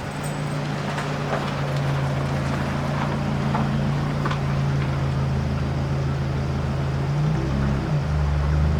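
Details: Scion tC with aftermarket exhaust, before installing a Checkpoint Tuning intake: deep, steady exhaust drone with a smooth even beat and a slight pitch change near the end; engine sounds healthy.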